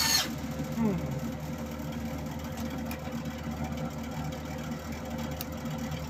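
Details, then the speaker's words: Old MIG welder after modification, wire feed test: faint even whir at one steady pitch as the feed motor runs and feeds wire; normal. "moment of truth as a friend of mine used to say right you'll hear a whirring on"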